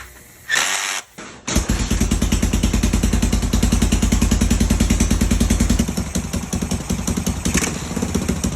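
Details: Free 1980 Honda XL500S single after reassembly, new fuel line and filter, old tank gasoline, choke connected: even thump around 200 a minute, revving and changing pitch through the gears: normal running.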